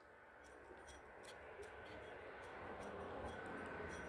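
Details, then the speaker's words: Hand-spun pulley bearing on an '07–'09 Pontiac gives a smooth, soft whir with light even ticks, no grinding or roughness; smooth roll, healthy bearing. "smooth roll movement you can hear the grease in there sticking to the bearings that's what we want"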